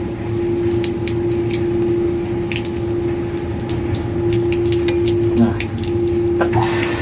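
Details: Booster pump during commissioning, pressure set to start at 2 and 2.5: a steady mid-pitched motor hum holding constant over rushing water flow, running smoothly under load; normal running.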